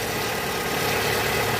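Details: Fiat Uno Way with flickering oil light and engine noise, also heard cold, pressure gauge fitted: constant idle and a blip with busy clattery chatter, likened to a sugar-cane mill; low oil pressure suspected, possibly the oil pump, not confirmed.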